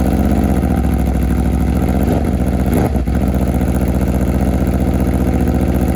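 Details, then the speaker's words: Wrecked 2021 Aprilia RSV4 V4 being rebuilt, first run on a chilly day without coolant: steady, even idle with a smooth, regular beat, no knocks, misses or smoke; suspected corroded piston rings seem not too bad. "she runs that V4 sounds fantastic and it's not puff and smoke"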